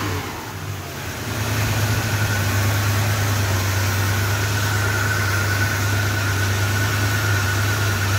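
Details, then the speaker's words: 1966 Chrysler New Yorker with a freshly rebuilt 440 big block, first startup and hot. The engine rises to a fast idle with a thin steady high squeal; the owner suspects a belt slipping from water, or possibly a dry bearing. "yeah it sounds like so a belt was really slipping down there probably because of all the water I'm not worried about it"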